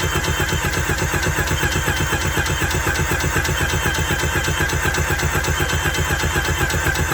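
Even, steady cranking at about four pulses a second with no dragging or hitching; the engine turns over normally.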